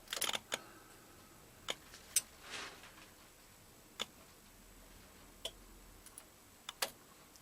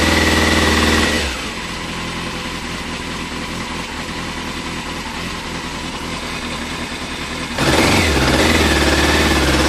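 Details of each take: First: 2000 Yamaha FZS600 Fazer with suspected fuel pump or relay fault: soft sparse clicks as ignition turns on, normal pump priming until the relay shuts off. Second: 2000 Yamaha Fazer 600 motorcycle: revs climb okay when throttle is tickled, but at wide open throttle revs drop and engine goes flat and rough for seconds before picking up; owner suspects fuel delivery, likely fuel pump or pump relay; gravity feed test inconclusive.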